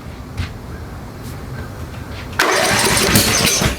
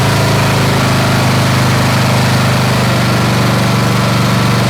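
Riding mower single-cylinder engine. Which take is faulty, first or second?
first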